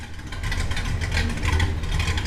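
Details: 1967 Buick Special with Blueprint 415 hp small-block Chevy 350, after fuel tank removal, filler brazing and sending unit adjustment; low, even burble idling smoothly, still holds fuel pressure, no apparent leaks, runs good.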